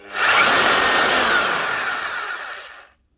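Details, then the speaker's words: Makita HR3000C SDS hammer drill from 2000, running too free and fast with no hammer: short free-run with harsh rough scraping whine fading on coast-down; armature commutator darkened, one segment overheated, sparking, burnt. "other words there's a segment that is different from the rest there it is there that one ain't good for a bad segment it's been overheated it's sparking it's gone"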